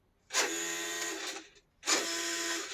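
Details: CMJ 1/10 Range Rover Sport 2WD RC car: two short bursts of high, buzzy motor whir, about a second each, as the oddly noisy steering servo moves; cause unclear.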